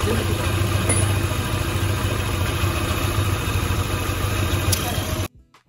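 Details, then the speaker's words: Old Yamaha Aerox scooter that came in with an oil leak and noisy engine, after an oil change and reassembly: steady, even single-cylinder idle, low regular putter, no ticking or knocking, normal idle. "halus banget ya adik-adik"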